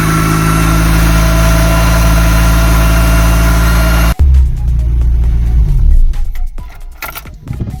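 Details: VW Polo with rebuilt Pierburg 2E carburetor (new gaskets, cleaned), cold start the next morning with choke set by one throttle press: engine settles into a steady, slightly fast idle, even note, no misses; running healthily.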